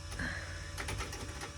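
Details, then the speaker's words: Eclipse GSX AWD drag car, engine off, ignition on priming fuel pump after sitting weeks at 11.9 volts: short buzzing hum with quick chatter; the high-flow fuel pressure regulator buzz, which it sometimes does. "yeah that noise is the high flow fuel pressure regulator so sometimes it does that"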